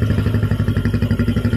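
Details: Jupiter MX single-cylinder idling after a full rebuild: new Indopat block set, timing chain, clutch, water pump parts, conrod and crank bearings. An even putter at about ten beats a second, no knock, tick or misfire. A clean, healthy idle with a smoke-free exhaust.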